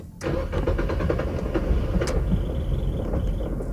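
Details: Nissan Almera that won't start: starter cranks the engine with an even quick chugging rhythm but it never fires; crank no start, first check suggested is the fuel pump fuse.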